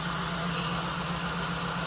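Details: 1979 Jeep CJ-5 parked 29 years, just started, smoking with slight blowby and fuel seepage: a fast, light tick over a steady, even idle. Likely lifter/valvetrain noise expected to quiet as oil circulates.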